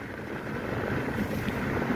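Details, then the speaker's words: Mitsubishi i-MiEV while driving: steady wind and road rush with no whistle after repairing the chipped, scuffed mirror surrounds that had made a high-pitched penny-whistle at about 40 mph. "Another fix on the IMV. Look, no whistling."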